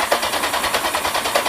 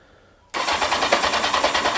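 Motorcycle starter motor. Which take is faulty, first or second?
first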